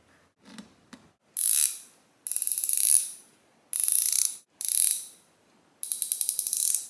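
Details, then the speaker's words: Harbor Freight ICON 3/8 swivel head ratchet, new but found bone dry, after disassembly, cleaning and re-greasing: five short bursts of quick even clicking, crisp pawl ticks, no dry scrape; sounds lubricated, working normally. "to my ear it sounds like it's got more of a buffer in it like some kind of a lubrication between the steel parts"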